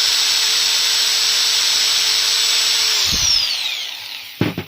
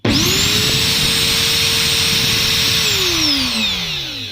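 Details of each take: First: Angle grinder after regreasing its gears and bearing, run at no load: a steady, high, smooth whine for three seconds, then an even coast-down with no grinding; it runs clean. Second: Brand-new angle grinder with its gearbox opened and found completely dry, no grease: spins up fast to a steady high whine with a gear-mesh tone, then winds down. Gear teeth already show wear.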